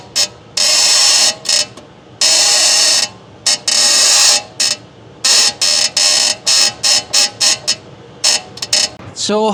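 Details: Infiniti G37, camera at driver's front wheel, steering wheel turned back and forth while stationary: sharp high-pitched creaks in short bursts with each turn; worn lower ball joint creak, the source of a violent knocking noise.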